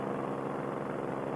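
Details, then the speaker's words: Paramotor two-stroke engine in flight, back after a long break, GoPro turned toward the engine: at about quarter throttle while descending, a steady mid-pitched drone with an uneven, fluttering burble. Rough part-throttle running of unknown cause. "It's not terrible, but that's at about quarter throttle, so I am descending, but at about quarter throttle I got that burble."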